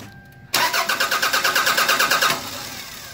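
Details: 1998 Toyota Camry no-start after repeated fuel pump replacements, now with a new harness plug connected and a fuel pressure gauge fitted. Quick even cranking, then it catches and idles smoothly; fuel pressure is confirmed.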